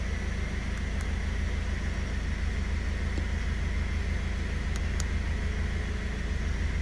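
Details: Fiat Strada 1.6 16-valve with prior power loss, cutting out, high fuel consumption and intermittent injection light; now a steady low engine hum at idle with an even beat, no knocks or misses, scanner showing no fault codes, a smooth, healthy idle.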